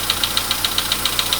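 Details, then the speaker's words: VW Polo Sedan (Kaluga-built), 99,329 km, cold start with oil level checked OK: loud, steady sharp metallic knocks about seven per second at cold idle, "like an anvil"; internal engine knock worsening over time, cause unclear. "Такие вот звуки страшные. Это прям вообще. Чуть-чуть, я не знаю, как наковальня."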